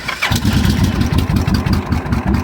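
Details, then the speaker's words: Motorcycle with a Kawasaki Vulcan-type starter solenoid: the start button and remote start do nothing despite 12 V and no click. Jumping the solenoid terminals with pliers cranks the engine, which fires into a lumpy idle; a bad solenoid is suspected. "for some reason pushing this button as you can see nothing and I can try and remote start it nothing"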